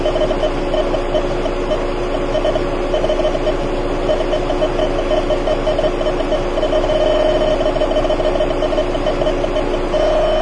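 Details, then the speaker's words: Electronic refrigerant leak detector probe moved close to a car A/C leak with the engine running and the compressor engaged: a fast, steady run of high beeps over an even engine and compressor hum, indicating a refrigerant leak. "hopefully you can hear it beeping and indeed as I get closer to where that week was well check that out"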